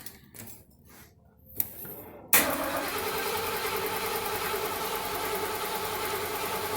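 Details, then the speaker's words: 1977 Mercury Marquis, Ford 400M V8, compression test during tune-up with spark plugs out: starter cranks at an even pace, about 3.5 beats a second, no lazy strokes; cylinder reads just under 120 psi (about 118), good compression. "Okay. Man. Just under 120. Write that down."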